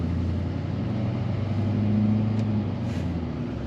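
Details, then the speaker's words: 2009 Silverado 3500 with a tune, new Bilstein shocks and a 4-inch exhaust mistakenly fitted without a muffler, accelerating hard from low speed: a deep, loud, open rumble with a steady drone. Loud, unmuffled exhaust. "obviously i wouldn't be accelerating like that all the time so that's pretty much the loudest it's gonna be"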